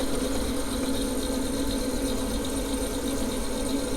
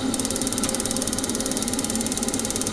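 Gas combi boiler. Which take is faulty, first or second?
second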